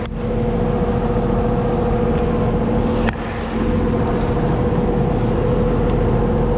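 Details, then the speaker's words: Carrier AC condenser after run capacitor replacement: steady low hum with a constant tone and even fan rush, no clicking or cycling off. Compressor and fan are running normally and the system is blowing cold. "All right, should get us going. Let's test it out. I do hear the compressor. definitely blowing cold right now."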